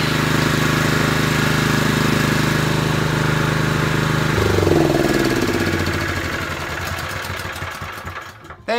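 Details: Honda GX160 engine on a 5.5 kW generator after carburettor clean (main jet was blocked), choke off, fuel on: small single buzzes at a steady, even beat, then the note drops and wavers as a drill draws power; runs normally.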